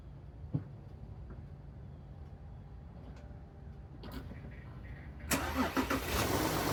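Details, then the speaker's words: VW Touareg after Eurowise subframe spacer and snorkel install, with mass airflow sensor now plugged in correctly: quiet steady idle, then a sharp clean rev climbing smoothly without stumbling; engine running normally. "that's what it sounds like when the mass airfow sensor actually works on the Euro wi spacer install"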